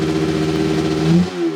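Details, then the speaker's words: Suzuki RG500 two-stroke with new battery, after running at about 4,500 rpm to check charging voltage: crisp rev, then exhaust note suddenly goes flat and dull; two cylinders dropping out on fouled spark plugs. "So, whilst I was busy trying to diagnose this electrical problem and running the bike at about 4 a half th000 RPM to check the voltage, I ended up fattling two of the plugs. So annoying."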